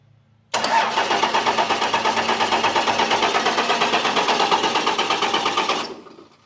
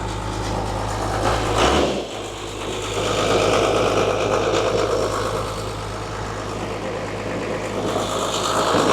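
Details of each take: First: Abandoned Cummins Dodge plow truck sitting years, first crank attempt: even cranking pulses roughly three per second for about five seconds, never catching; cranks but no start. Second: Abandoned Dodge plow truck, 12-valve Cummins diesel, about 300,000 miles, sat for years: catches and settles into steady even diesel clatter at idle, no misses or knocks, full oil pressure; healthy.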